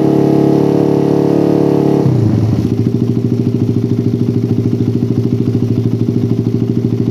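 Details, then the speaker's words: Motorcycle with a PWK carburetor and racing exhaust after curing the helicopter-style stutter (brebet) by resetting the air screw to about 2.5–3 turns. Revs drop after a blip and settle into an even putter about three beats a second: normal idle. "nah hasil setengah setting angin idealnya stabil banget guys ini udah layak untuk digunakan sehari-hari terus barusan dicoba digas sedikit udah nggak ada brebet helikopternya udah benar-benar hilang"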